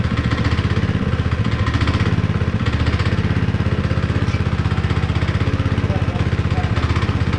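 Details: Honda GX160 5.5HP on concrete power trowel, unrun for years, after repair with cleaned spark plug: steady single-cylinder thump about four times a second, even, without misses or knocks; running fine.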